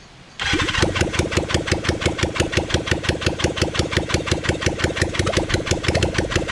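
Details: Kawasaki Zephyr 750 under restoration, carbs just fitted after ignition fixed, cranked with a bit of choke: starter churns about three beats a second with even compression pulses, never catching. Cranks but won't start; tank had run out of fuel.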